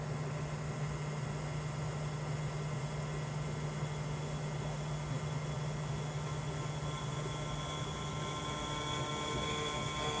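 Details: 2023 Tesla Model 3 with a newly replaced heat pump compressor, supermanifold and AC lines: very loud buzzing and metallic grinding. Owner concerned it is abnormal.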